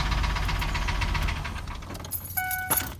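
Idling engine with an uneven tapping roughly three to four times a second, later covered by jingling keys; knock, source uncertain. Cause suspected, not confirmed.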